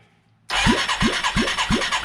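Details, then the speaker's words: 1989 Yamaha Moto4 350 budget rebuild on its original valves (a stuck valve was freed), at the first compression test. Starter cranking with no spark plug gives a slow, even chuff about three a second; reads about 90 PSI, probably a fairly dry cylinder. Weak compression suspected, not confirmed. "We are at I'm going to call it 90 PSI. Probably a fairly dry cylinder."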